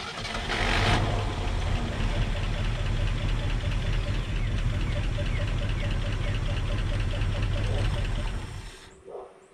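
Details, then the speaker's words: Low-mileage Ford F-350 that sat 5–7 years, on a weak borrowed battery with fuel fed directly while the tank line was disconnected: slow starter churn for about nine seconds with uneven puffs that never catch; owner thinks he flooded it. "Guess I flooded it out. Well, there you have it. She'll run."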